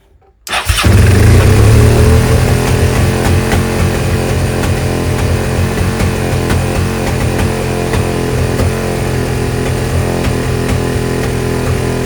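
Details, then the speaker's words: Suzuki SV650S V-twin, carbs just synced: fast steady idle that never drops back, reaching about 7,000 rpm even with idle screw backed out; vacuum leak. "all right seemed to have adjusted and synced them but it seems like it's still it's revving high so I think we got a vacuum leak"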